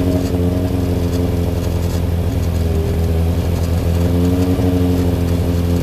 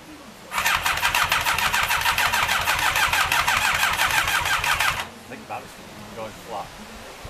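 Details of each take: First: Freshly rebuilt Thunderace engine at its initial start-up, oil filled overnight, water leaks still present: a strong, steady multi-cylinder drone swells cleanly with each throttle blip, with no knocks or rattles. Normal running and revving. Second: Rebuilt Thunderace engine first start attempt: steady starter chatter at about three pulses a second for four seconds, never catches; battery going flat and some backfire, suspected, not confirmed.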